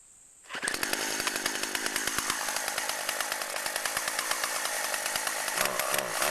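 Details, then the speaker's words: Chainsaw running on old stored boat and chainsaw gas blended with new non-alcohol fuel, cutting wood: a strong, even high-pitched two-stroke buzz picks up cleanly and holds steady through the cut. Normal running under load. "CH knows what it's doing say fuel mixing was a success it's is running right fine sounds good"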